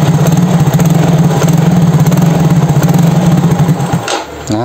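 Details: Fuel-injected Yamaha Soul GT (Mio J engine) at about 80 °C: low idle thumps unevenly, hiccups, then dies; spark plug, cap, coil, injector, compression, throttle body and fuel pressure checked normal; scanner barometer read 85 kPa, stalling traced to faulty throttle-body sensor.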